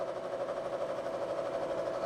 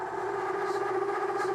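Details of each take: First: Face mill cutting the relief section in pre-hardened D2 on a pass: steady mid-pitched cutting hum with an even chatter of about three pulses a second, no squeal or stutter; normal, clean face milling cut. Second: Solid carbide endmill milling pre-hardened D2 (about Rockwell C20) at over an inch of engagement: loud, steady, high singing tone with overtones throughout the cut; chatter from the whole machine deflecting under heavy engagement.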